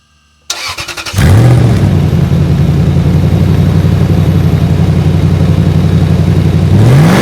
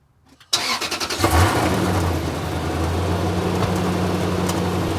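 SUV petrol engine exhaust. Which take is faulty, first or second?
first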